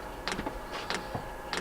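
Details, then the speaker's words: Brand-new Chinese diesel heater replacing one whose fan motor overheated, in a 2007 MCI E4500 bus conversion, at start-up: steady light fuel-pump ticks about every 0.6 s over a faint hum before it lights; normal. "there's the fuel pump we should hear it fire up in a second"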